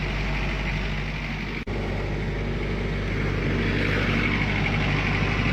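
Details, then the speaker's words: Military diesel generator after fixing the no-run fault, started with prime and run: even steady drone with no knocks or misses; normal smooth running, voltage and frequency controls respond with rpm. "Listen to that baby just purr. That is a smooth running engine."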